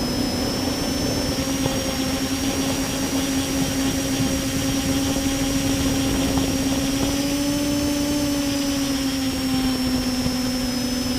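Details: Multirotor with camera tilted 15° down causing bad vibrations: steady buzzing motor whine with slightly wavering pitch and rough undertone; owner suspects ESC or motor bearings, unconfirmed.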